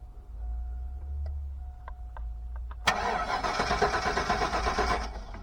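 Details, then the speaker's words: Junkyard 2002 truck, 179,000 miles: starter cranks steadily for a couple of seconds but the engine won't fire; possibly out of fuel (suspected, not confirmed). "Take two, I might put some gas. I think we might be out of petro."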